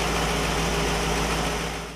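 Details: 1960 Pontiac Catalina 389 V8 in a short stretch of steady, even idle with a smooth low rumble and no miss or knock before fading; the Heathkit IO-20 scope shows all cylinders consistent.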